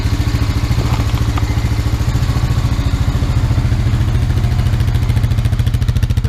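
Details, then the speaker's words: Used Honda Rancher 350 ATV after new oil and filter, air box off: steady, even idle with regular exhaust pulse about three and a half beats a second, no misses or knocks, no smoke; engine sounds healthy. "smoke, exhaust sounds good."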